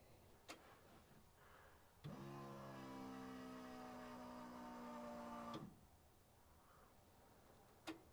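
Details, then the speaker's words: Engine-swapped Toyota Corolla, newly turbocharged with custom exhaust manifold, first start: about three seconds of even starter cranking at 100% throttle so ECU cuts injectors, no firing, building oil pressure to feed turbo; intentional crank without start. "This ECU has a setting where if it's at 100% throttle position, it won't fire the injectors. So, it'll crank, but it won't fire the injectors."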